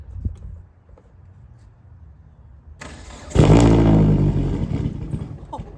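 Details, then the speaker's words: Turbo Hyundai Sonata with straight-pipe exhaust, first start after nearly 3 years sitting, following fuel line repairs and three fuel-pump primes; one sharp backfire pop, then a smooth, even idle; normal start. "go Oho that backfire wo wow it runs perfectly it's so smooth seems good to me it's alive"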